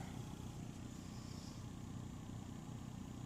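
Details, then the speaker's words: Honda Element blower motor after cleaning leaves and bark from the cabin filters: rough, uneven rumble and rattle from the fan; debris suspected. "A whole bunch of noise after I removed the cabin filter, I guess a bunch of leaves Something's making all kinds of noise."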